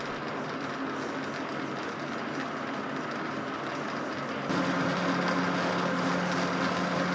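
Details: Old Rockwell lathe returned to service, quick-change gearbox on its highest setting: a steady whir with a regular clank about 3.5 times a second, coming mostly from the Reeves variable-speed drive.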